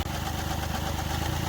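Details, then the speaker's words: Mahindra Bolero Power Plus diesel with low pickup and whole-body vibration, missing since earlier engine work, injectors being bench-checked; lumpy, uneven idle with heavy low shake, one cylinder missing: diesel misfire at idle. "तो इसके अंदर pickup की समस्याएं pickup बहुत कम है और engine में vibration body हमारी पुरी वाइब्रेशन कर रही है मिसिंग तो किसी गरीब पर इसका इंजन का कम हुआ था उसके बाद में मिसिंग करना स्टार्ट हो गई"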